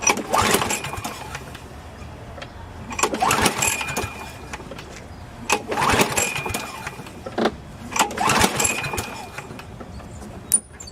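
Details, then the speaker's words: Craftsman lawnmower model 917.370430 with Briggs & Stratton engine, compression test with throttle wide open: about four pull-start bursts of rapid compression chuffs, no firing. Reads about 60 PSI. "Alright, so I'm going to pull on that, pull start, and see what numbers we get."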